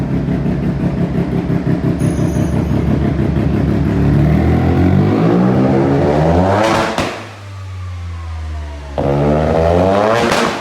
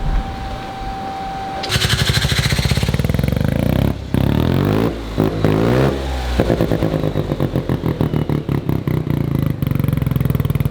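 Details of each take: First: Mazda single-rotor rotary build being tuned: it starts and runs, but the loud raspy note revs up and falls back with slightly uneven firing, and it still runs erratically and needs more tuning. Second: Mazda one-rotor engine build after its first drive, jump-started because the alternator seems not to charge: loud, rasping free revs that rise and drop cleanly, sounding crisp and healthy.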